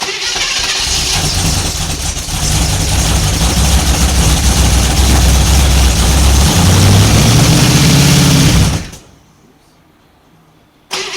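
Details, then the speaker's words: 1955 Chevy 210 Delray, 265 V8, first start in who knows how long: it runs rough, stumbling and surging unevenly for several seconds before dying. Fuel starvation; the owner suspects the carburetor bowl isn't filling properly. "I just don't think it's I don't think that hole is filling up properly."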